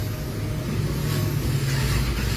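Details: Toyota RAV4 engine cranking but not starting: steady low churning of starter turning engine over without any firing or catch; crank no start, circuit problem found after battery reset and fault code check.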